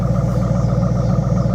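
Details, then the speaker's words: Ford Mustang GT bought from Copart after sitting a long time, with a fiberglass or carbon hood; a steady, even V8 idle with a deep regular burble and no knocks, misses or ticks, so it runs really well. "Yes, it runs. And it runs really really well."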